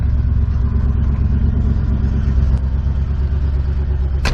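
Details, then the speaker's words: Old Ford F-150 just caught at about seven degrees in a snowstorm; heavy, uneven low rumble with loose clatter, not yet settled after a reluctant start. Rough running when cold. "yeah she's not liking that she wanted to stay asleep i don't blame her"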